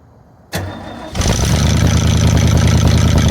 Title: 1981 Ford F250 Ranger 5.8L V8 (351M) startup. Ran bad due to vacuum leak and only fuel in carb bowl.